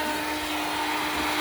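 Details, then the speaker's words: 2019 Honda Civic Sport CVT: a constant high-pitched whine holds under the hood after the engine starts, with a burning smell. Owner suspects the starter stayed engaged, possibly the starter or its relay; not confirmed. "Oh, that ain't the fan. That is something else. I think that's the starter. Oh, that's bad. It's burning."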